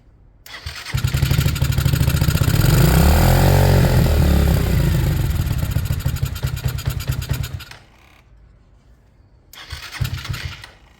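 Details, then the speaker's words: Sinnis Harrier with a Hanway carb conversion on a temporary setup, choke off: the owner suspects he set the idle too high. The engine fires and revs high, settles, dies, then briefly catches again and fades, giving reluctant, unstable hard starting. "Maybe I've gone too nuts on the idle. Bikes don't like to start when you've gone too nuts."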